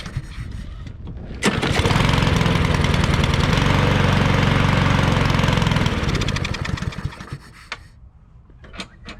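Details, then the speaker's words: Cub Cadet 173 cc push mower, previously a no-start, after carburetor cleaning and a wire-brushed spark plug: catches quickly, holds a steady even beat about five seconds, then winds down cleanly; running normally. "all right so i just wire brushed the spark plug and it runs good except for the vice grip falling off the bale bar but runs good"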